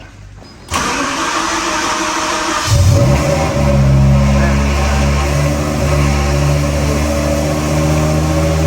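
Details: BMW M3 with V10 swap, new 10-into-1 headers and custom 5-exit oval exhaust, oxygen sensor just tightened, started on a jump pack: loud, lumpy, high-pitched V10 idle with a metallic vibrating buzz; exhaust suspected to be touching the crossmember.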